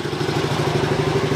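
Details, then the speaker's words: 1981 Yamaha TT250 single-cylinder motorcycle idling after a top-end rebuild: a steady, even thump with no knocks or clatter. Before the rebuild the motor "sounded like it had a wood kicker in it". Normal idle. "the motor just sounded like it had a wood kicker in it but now it's just it just sounds like magic kind of thing you know"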